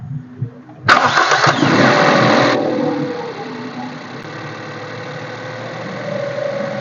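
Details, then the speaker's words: Used car, first cold start of the day during a pre-purchase inspection, owner told not to warm it up: cranks and catches, rpm rises briefly because cold, then settles to near-normal idle within 5-10 seconds; normal cold start with fast idle. "जब हमने ठंडी गाड़ी को start किया तो पहले गाड़ी का आरपीएम जो है वो थोड़ा सा ऊपर गया क्योंकि गाड़ी ठंडी थी और उसके बाद कोई 5 10 सेकंड के बाद जो है वो आरपी अब तकरीबन नॉर्मल हो चुका है"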